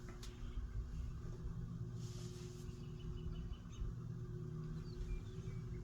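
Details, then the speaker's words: Antique Hunter/Robbins & Myers Type R52 ceiling fan with a 3-speed speed coil, set to low with the pull chain. Steady low hum with a faint even whine and no knocks or rubbing. Normal running on low speed. "So it is a 3-speed speed coil, just like pretty much all the antiques used. It is set to low with the pull chain."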